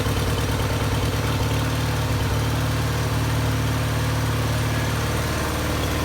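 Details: 1974 Bolens HT20 garden tractor after fixing a stall, likely fuel-related, fitting a new fuel primer and replacing a burned-out coil: loud, steady low drone at constant speed, even with no misses or knocks; running normally.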